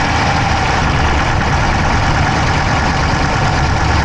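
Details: Dodge Charger Hemi V8 at idle, camera inside the engine bay on the driver's side: quick, light ticking keeping pace with engine speed; no smoke from the pipes, owner doubts a dropped valve, source unclear.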